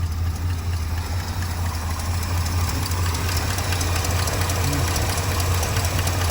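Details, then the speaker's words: 1966 Pontiac Grand Prix, apparently original 389 four-barrel V8, first start since 1992 after sitting in a shed, fresh oil: low rumbling idle with a pretty bad light irregular tick, a little blow-by; owner hopes tick goes away, cause unconfirmed. "a runner pretty bad tick it's gonna go away I put fresh oil in it a little blow by it actually doesn't sound bad except for that tick"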